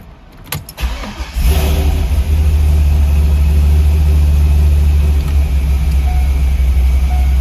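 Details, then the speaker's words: LS6 Corvette Z06 after installing a Racetronix hotwire kit for the fuel pump: a brief crank, then a deep, steady V8 idle with fuel pressure holding 68 psi; normal start and idle. "we're still running 68 psi. Everything's looking good."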